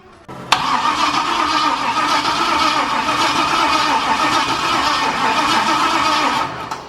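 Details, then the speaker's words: 6.0 LS-swapped Cadillac first start attempt: steady starter cranking drone for several seconds, never fires; no spark, checking main red wire for voltage loss while cranking as suspected cause. "all right so right now what we're gonna do since it's not getting spark we're going to check this main red wire to see if it's losing voltage while cranking"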